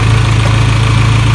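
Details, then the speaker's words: 1996 Geo Tracker after curing no-spark by refitting the old distributor in place of a failed cheap one; steady, even low idle with smooth unbroken hum, no knocks or misses; sounds healthy. "it's running and it actually sounds healthy all right guys I'm excited the Geo runs again"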